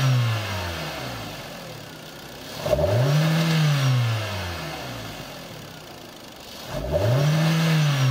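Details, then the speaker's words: Used 2011 Hyundai Sonata VI 2.0 16V G4KD engine, 88,722 km, compression 12.5 in all four cylinders: two clean rev sweeps to high rpm rising and falling smoothly with no knocks or rattles; runs evenly, healthy. "запуск двигателя работа двигателя на холостом ходу работа двигателя на высоких оборотах"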